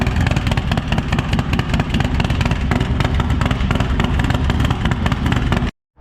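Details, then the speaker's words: Freshly rebuilt 143ci Harley Lowrider S V-twin with A.P.E CR515 cam and D&D Lowcat exhaust, first fire-up, running rich on base map: loud lumpy idle with faint fast ticking; lifters still bleeding up oil pressure. "You probably did hear the little bit of lifter noise there as it was still bleeding up oil pressure."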